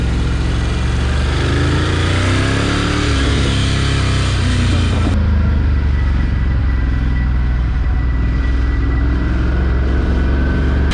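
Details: Ducati Scrambler 1100 (09/2018, made in Thailand) V-twin at idle: steady mechanical knocking under the idle beat that quickens with revs; owner suspects piston slap, unconfirmed.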